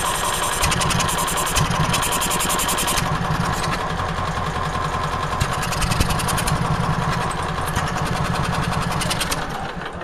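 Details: Onan generator putting out about 160–170 volts per plug: a small engine running fast and rough, idling way too fast and won't adjust down: excessive idle speed.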